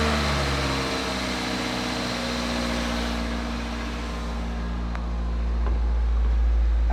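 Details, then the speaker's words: Toyota 1ZZ engine (LKQ used unit) just installed in a Matrix XR, first startup without serpentine belt or coolant, battery light on; steady even idle with no tapping or knocking, sounds really healthy; normal idle. "engine sounds pretty good sounds really healthy hopefully it's a really good engine for the long term"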